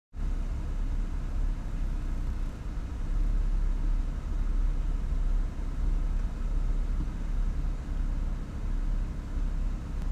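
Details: Rough idle that has improved somewhat but still acts up: a low, uneven rumble swelling and sagging every second or so as the idle hunts. The owner suspects a vacuum leak; unconfirmed.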